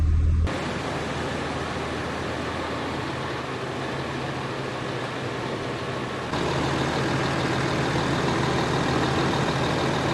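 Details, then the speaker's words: Rebuilt 5.9 Cummins in a Megacab after a new 180° thermostat and coolant were fitted: smooth, even diesel idle with a slight lift, no rattle, knock or cab vibration. Sounds healthy. "there's like no vibrations in the cab thing's freaking dead quiet now even when we started it being my dad were both just like freaking thing doesn't make any noise now no rattle no rattle no nothing"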